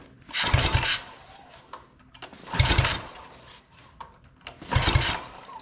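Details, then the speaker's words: Free mini bike that does not run, ignition on, pull-started with and without choke and throttle: three whirring compression strokes about two seconds apart, no firing; cranks but won't start, cause unknown (fuel or spark suspected). "as you can see does not want to fire we could try with choke without choke we could do with throttle this [Music] little it is not wanting to fire at all and we can even try the other Position will not fire"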